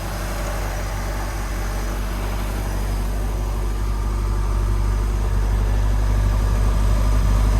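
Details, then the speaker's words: MerCruiser engine in a Stingray boat after a tune-up, rocker arms set and throttle/shift cable adjusted: a smooth, steady idle rumble of about four pulses a second with no misses or knocks. It sounds healthy. "should be good to go got that plastic Shield hidden on the flywheel area but other than that she sounds good"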